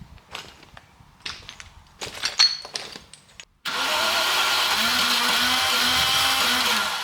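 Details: 1990 Range Rover Classic V8, stored in a barn over 10 years, after an oil change and long cranking: fires abruptly and settles into a steady, even idle; starts and runs normally.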